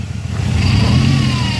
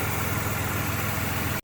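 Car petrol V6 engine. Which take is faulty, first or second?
first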